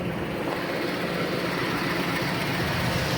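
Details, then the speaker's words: 2004 Chevy Suburban after replacing alternator that had grinding bearings, charging 14.1–14.2 V: steady even engine hum under the hood with no grinding from the alternator; normal. "oh yeah everything's charging nice and neat i don't hear that uh that grabbing sound no more so we should be good"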